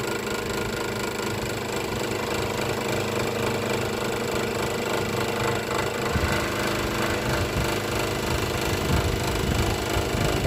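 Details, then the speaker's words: Electric scroll saw after modification to stop the wood slapping the steel table plate: even motor hum and fast light cutting chatter with no impact noise; cutting quietly and normally after the fix. "ตัวนะครับแทบจะไม่ได้ยินเสียงอ่าตัวไม้กระทบกับแผ่นเหล็กเลยแต่มันจะไม่ได้ยินเสียงดังเลยนะครับอ่าจ๋าได้ยินแค่เสียงเครื่องนะครับ"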